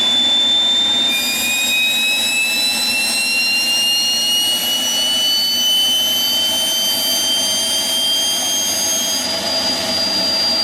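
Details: Homemade propane-fueled turbocharger jet engine, restarted to run the afterburner: loud steady jet roar with thin whistling tones slowly climbing in pitch; spools up cleanly, tone changing with the afterburner lit.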